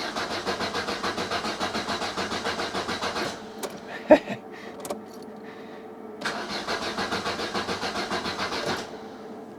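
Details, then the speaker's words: Opel Kadett petrol engine cranking in two steady bursts without catching; it ran fine on the drive over, and the owner suspects fuel is not being pumped. "now it doesn't want to start and I think it's fuel related I don't think it's pumping fuel off which is a bit weird"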